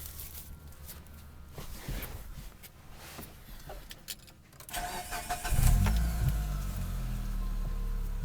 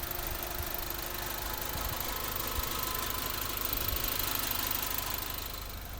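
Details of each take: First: 2005 Mitsubishi Lancer Ralliart, 5-speed manual, about 52k miles: start-up, then loose metallic rattle over exhaust; owner suspects loose heat wrap on headers before the catalytic converter; headers to be replaced. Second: 2005 Mitsubishi Lancer Ralliart, 5-speed manual, about 52k miles, stock apart from an exhaust tip: soft, even idle with a light steady patter and no knocks or misses; a very quiet car.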